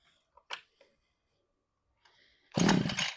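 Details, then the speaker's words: Cheap 43cc two-stroke engine on an extendable pole saw (about 12 ft), started with the choke on: it catches after a few pulls and buzzes up to a sharp high rev. Starts right up and revs fine. "So, ultimately, I think this thing's a solid unit right here. Starts right up. She revs 43 cc's."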